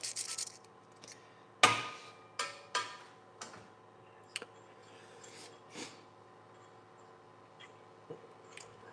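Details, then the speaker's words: 2007 transfer case being rebuilt, unknown mileage, showing heat marks: short dry rasping bursts as a needle bearing in a cap is turned by hand; feels and sounds rough, should be replaced. "It also feels awful. And that that was in the kit. That's not anywhere here. Um And this does not feel good."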